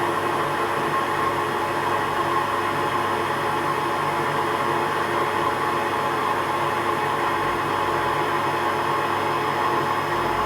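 A steady, even motor hum with water churning in the drum; a touch rough but nothing alarming, so the washer seems acceptable.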